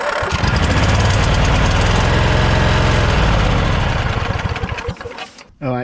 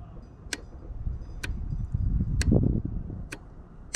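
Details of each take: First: Snapper LT200 riding mower, sat about a week after last repair: steady starter cranking about four turns a second, never catches, winds down; gas not drawn up through fuel filter, fuel pump suspected, anti-kickback solenoid clicks; cranks but won't start. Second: Snapper LT200 riding mower that cranks but won't start, with no fuel being drawn through the filter: turning the key gives crisp separate clicks over a faint rumble, showing the anti-kickback fuel shutoff solenoid snaps open normally.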